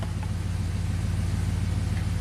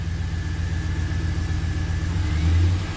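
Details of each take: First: 2004 Pontiac GTO, 5.7 LS1 V8, 34,000 miles, after replacing a bad spark plug that caused a misfire: an even, steady low rumble with no skips, a smooth idle firing on all cylinders, and misfire counters show no more misfires. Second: 2004 Pontiac GTO 5.7 LS1 V8, 6-speed manual, 34,000 miles, at a lumpy, uneven idle that stumbles on blips. Misfires are counting on cylinders 1 and 8.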